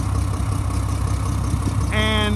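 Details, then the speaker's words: 2007 Mack MR688S roll-on/roll-off truck diesel, running over 40 minutes: slightly uneven idle with rough puffing edge from exhaust leak, reportedly a cracked exhaust manifold; drives and revs fine. "the truck has been running for over 40 minutes as you can hear it it's not idling smooth it's it's idling but it has like a an exhaust leak I heard it has a crack manifold exhaust manifold is"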